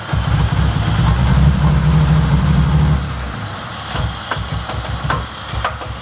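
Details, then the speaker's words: BA Falcon after a drift day: lumpy, high idle with steady airy hiss from a suspected blown intake manifold gasket vacuum leak at the back, with check engine light; runs on (dieseling) after key-off. "yeah definitely got a back leak down the back here"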